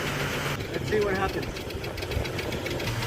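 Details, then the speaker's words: Trailblazer, noise still present with the serpentine belt off, idling about two minutes after starting: light quick ticking over the idle that keeps pace with engine speed. Suspected single noisy hydraulic valve lifter at the rear of the engine. "been like two minutes and the noise is still there but it sounds like it's one lifter like one valve"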